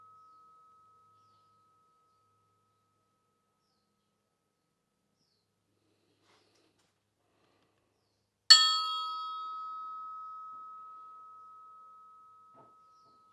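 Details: Porsche 356 SC crankshaft (counterweighted) suspended on string from drill press and tapped with hammer: clear bell-like ring near 1280 Hz fading slowly over seconds; crank rings true, no crack indicated.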